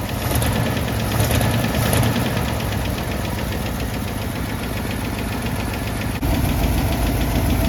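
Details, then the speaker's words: AMC 327 V8 Jeep idling slightly high after a small rev; a faulty choke closes when revved. A steady, fairly quick knocking runs under the rumble. Owner suspects the flex plate or clutch is hitting the flywheel; not confirmed. "I've seen it before, like happen to other people in like revival videos, where like the flex plate or the clutch or something weird like that is just like hitting the flywheel."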